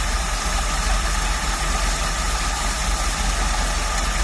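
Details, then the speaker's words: Motorhome engine for a rat rod build, fed from a gas tank through a 1/4-inch hose and fuel pump to the rail, steady even low rumble at idle, "purrs like a kitten," no misses or knocking, expected to run out of fuel soon; normal idle. "Purrs like a kitten. It's gonna run out of fuel here in a minute."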